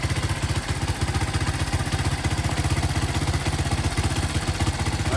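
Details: Honda ATC200X rebuild, essentially stock engine with cylinder bored 0.25 over, run on a temporary gas tank for carburetor tuning: even, steady single-cylinder idle with a light tick on top, no misses or stumbles; idling cleanly.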